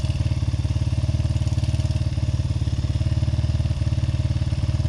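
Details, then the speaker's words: Honda XR80R single-cylinder, owned nearly 40 years, after new timing chains, cam and crank sprockets, valves and springs; cam sprocket found one tooth off and corrected. Partly reassembled, it idles at a steady, even thump of about 220 beats a minute, with no misses or knocks. "all right oh that sounds wonderful holy that sounds pretty good"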